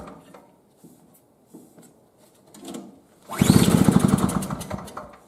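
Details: 2003 Murray single-stage snowblower, small two-stroke, sat unused about 5 years, previously leaked gas: a few quiet clicks, then it fires and runs rapid and even with steady popping, pulling up cleanly when revved.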